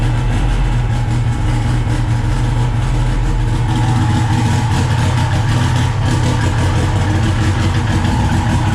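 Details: SRT-4 turbo four after a 420A head conversion, started (hard to start without throttle) and running good: smooth, steady low idle with an even beat, no knocks, misses or ticking.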